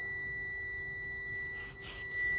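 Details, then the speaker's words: Diesel truck with engine off: constant high-pitched buzzer, the low air pressure warning, which stopped once air pressure was built up. "didn't want you guys having to listen to this beeping so let me pause this and get this under control all right guys i got everything plugged up got the air pressure up so ain't got to be hearing it beeping"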